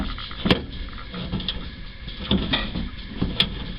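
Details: 1969 Camaro RS/LS with custom shaved door handles and a fabricated latch mechanism, camera inside the door: a few sharp metallic clicks with a short slide between them, crisp and clean. The door latch releases and latches properly.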